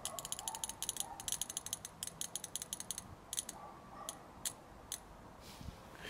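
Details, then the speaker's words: BMW E30 fuel injector that had stuck open, pulsed directly from the battery after tapping to free it: crisp, sharp ticks in quick, evenly spaced bursts; the injector now opens and closes cleanly. "сейчас прям слышно, как она хорошо срабатывает. Вот слышно, да? Ну все, вроде должна уже работать."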